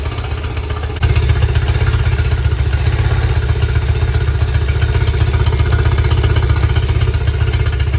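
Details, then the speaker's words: Yamaha 50HP (T50) outboard that had sat a while: lumpy idle with a loping beat about four per second and a clattery miss, sounding like it's running on three. "t happens all right it runs a throttle now and it sounded like it it sound like it was running on three"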